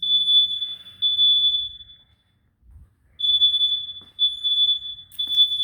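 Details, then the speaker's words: A smoke alarm in an Early Alert System, set off on purpose by renters in heavy smoke, sounds loud, steady high-pitched electronic beeps in bursts with short gaps, working as designed. "It's working as it should. You can hear the beeping has been activated. And the smoke in here is incredible, ladies and gentlemen."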